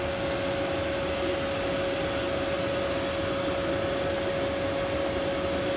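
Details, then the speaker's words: 2015 Mercedes/Dodge Sprinter 3.0L, after replacing a shorted AC blower motor that was silent before: steady rushing airflow with a constant mid-pitched motor tone, no chirps or rubbing. New blower running healthy. "the blower motor is definitely working now remember before it was just quiet"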